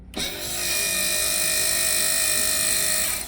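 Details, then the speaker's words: Sea Ray 320 trim tab actuator that was faulty straight out of the box, running with a harsh, steady high-pitched motor whine and a rough buzzing edge; the other new actuator runs quiet. Noisy defective actuator. "we just were to changeed both because this one was making some racket"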